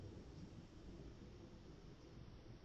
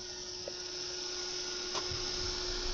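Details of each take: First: Replacement fan for an ATX power supply, swapped for a quieter one: only a faint soft low rush of air, no ticking, rattle or whine; much less airflow than the loud original, running quietly. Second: Heavy, high-quality ATX computer power supply: loud, steady fan whoosh with a constant hum that spins down, then restarts and spins back up; noisy high-airflow fan, to be swapped for a quieter one.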